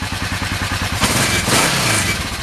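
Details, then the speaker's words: 1996 Kawasaki Vulcan 500 V-twin after carb work, warmed up with choke off: even, loping warm idle with no ticks, clatter or funny noises. Carbs are not leaking; oil is black and due for a change. "okay so she's warmed up a little bit I got the choke off it's actually running pretty decent"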